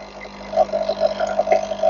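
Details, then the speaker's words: Nescafé Dolce Gusto coffee maker after repair (it had no water coming through; the blocked pump was the cause): steady pump hum with sputtering steam hisses as hot water is pushed through the pod, a normal brew cycle. "There's so steaming water that's supposed to go through the pod."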